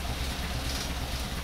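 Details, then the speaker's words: 1931 Horch 480 Sport Cabriolet 5-litre straight-eight, fired after five or six seconds, warmed up about 5 minutes, idling smoothly with a low, steady, even rumble and slight vibration from the radiator surround; normal warm idle. "it fired into life El Pronto after about five or 6 seconds and now we've warmed it up for about 5 minutes and now it's idling just absolutely gorgeously"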